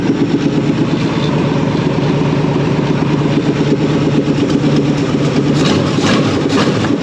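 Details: 360 small-block Chevy in a marketplace El Camino, freshly revived, started with a shot of fuel; lumpy, uneven V8 idle that catches and keeps running on its own; run only briefly because there is no coolant yet.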